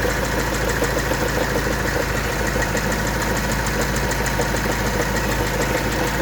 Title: engine strange noise (not valve )